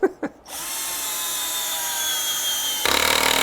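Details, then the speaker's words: Drill-driver with its adjustable clutch at the highest setting, driving sheet metal screws into a lathe faceplate: high, steady whir ends in quick rattling clicks as the clutch slips, showing the screw seated properly; normal clutch ratcheting. "this is a driller with a ratcheting system. So I've got it at the highest ratcheting, but watch when I drill this in, and you'll hear this sound when it goes in."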